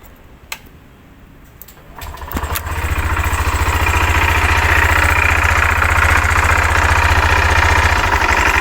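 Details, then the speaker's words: 2023 Honda Genio 110 scooter starting and idling with a rough CVT noise: coarse rattly rasp over the engine beat; cracked variator rollers and worn roller housing. "Untuk kali ini kita dapat project motor Genio dengan keluhan di area SPT-nya ada bunyi kasar seperti video yang di awal ya."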